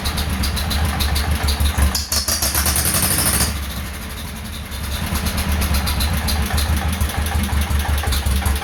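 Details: 1948 John Deere M tractor just fitted with new stainless muffler, hood off, in neutral: engine catches and settles into slow steady deep putt, about three beats a second, no rasp or exhaust leak; normal idle.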